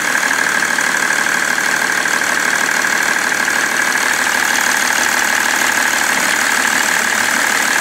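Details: BMW 330d E91 diesel idling with smoke after replacement of the main and EGR thermostats; a quick, somewhat uneven knocking of about three per second runs through the idle, cause unknown.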